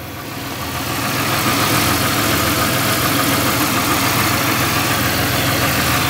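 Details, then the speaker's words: Pontiac Aztek AWD with possibly old fuel, started in the cold: steady, even idle after start-up, no knocking or misfire; runs well. "so it runs pretty good though"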